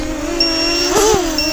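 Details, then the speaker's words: Floureon 250 FPV race drone in flight; high, steady alarm beep sounds twice over the small motors' hum, the low battery warning prompting landing. "I can hear the um beeping now low battery so I'm going to want to bring this in"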